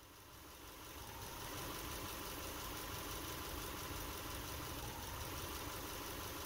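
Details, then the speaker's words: Subaru Impreza with check engine light, heard at the tailpipe at idle: uneven stumbling rhythm, each pop a misfire; idle drops, worse in drive or reverse; code shows misfire solely on cylinder three, faulty spark plug wire suspected. "listening to it from the tailpipe will definitely make it noticeable and each one of those pop pops is a misfire"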